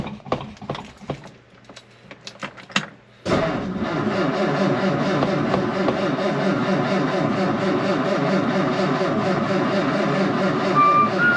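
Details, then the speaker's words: Ford V8 with 4-barrel carburetor, after sanding a sticky spot on the slide linkage that made the 4-barrel stick open, possibly flooded: a few sharp clicks, then it catches at about three seconds into a steady, even, healthy idle. "get started well uh she sounds good i'll go ahead and take a look under the hood a little bit"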